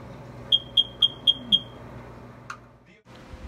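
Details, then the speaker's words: First Alert smoke/CO alarm model 9120B/SC9120B, new batteries didn't stop it: five quick, high-pitched chirps every minute, signalling the alarm has reached end of life and needs replacing. "now i'm gonna let you listen to the code i was getting which was five chirps every minute and that's basically telling you that this alarm is at the end of its life and here's what that's going to sound like"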